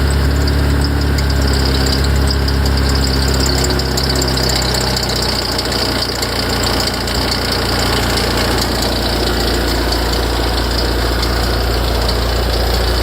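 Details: Ferrari F355 at cold idle: a rough, rapid knocking rattle from the front of the engine, starting tens of seconds after start-up; idle steadies once it stops. Louder and longer after long disuse; source unknown.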